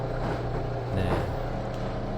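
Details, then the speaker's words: 14 kg drum washing machine: steady low droning, boiling-like hum with a rough edge from the lower pump; the drain pump motor bearing has failed or the motor is faulty and is making the noise. "드럼 세탁기를 사용하시다 보면 이렇게 끓는 소리가 나는데, 이것은 하단부에 펌프 모터가 베어링이 나갔거나 이상이 있어서 이렇게 소리가 납니다."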